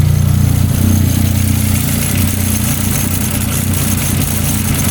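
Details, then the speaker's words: Audi not started in 3–4 weeks, owner suspects blown turbo: loud, lumpy idle with uneven low beat around three pulses a second that never settles; rough running. "if you can't hear how fucked this thing's running right now, it's pretty fucking shitty, but we're gonna get her all fixed up."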